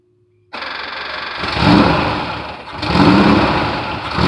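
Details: 1972 VW bus last registered in 1990, on its first run in nearly 30 years after its Holley carb was cleaned ultrasonically: it cranks, catches at once and settles into an uneven, lumpy idle with a couple of blips.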